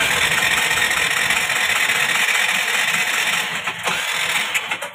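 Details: Scooter with spark present and a good plug: starter spins the engine evenly but it never fires, because tight tappets hold the valves open and kill compression; cranks but no start.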